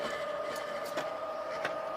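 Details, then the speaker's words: Swardman Electra 55 electric reel mower climbing uphill; soft steady electric hum with light high whine, no rubbing or scraping; runs smooth and very quiet, quieter than a manual reel mower. "the sortment is the quietest machine I've I mean it's quieter than a manual real mower it is so silent"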